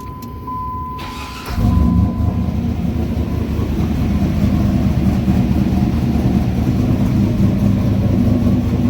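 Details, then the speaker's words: 6.0 LS-swapped half-ton truck with an NV3500 transmission and a new exhaust, in a closed garage: the engine catches, then holds a deep, steady idle at 850 rpm with no exhaust tick and good oil pressure; normal idle. "You guys can hear the new exhaust. No exhaust tick, nothing. It's fucking sealed. Sounds good."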